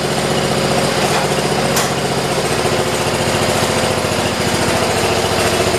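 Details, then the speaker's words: 1973 tractor model 112 with a Kohler K301 single, after a head gasket replacement and valve adjustment to 8 and 17, heard after a drive with the tins and air filter assembly still off. A steady, even beat at a fast idle: normal running. "As you guys saw, you got to hear it shut off. It sounds pretty damn good."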